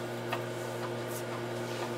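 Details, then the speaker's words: Heathkit H-47 8" floppy drive formatting a double-density disk from an H8 computer: steady hum with soft, spaced ticks as the head seeks through all tracks. Normal operation. "and you can hear it seeking it's going to seek through all the tracks then about halfway through it'll make a loud clump and then seek through all the tracks again"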